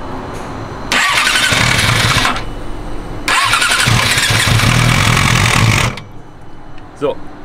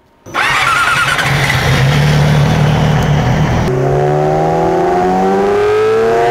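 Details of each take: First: Yamaha R6 RJ11 as brought in by the customer, before repair: starts and revs in two bursts with a harsh, brutal metallic clatter clearly coming from the cylinder head; valves striking the pistons. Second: Yamaha R6 RJ11 after a cylinder-head repair with all valves new, warmed up before a dyno run: catches at once, runs crisp and even, then revs cleanly with no ticking, nothing like before; healthy engine, later 110.41 hp at the rear wheel.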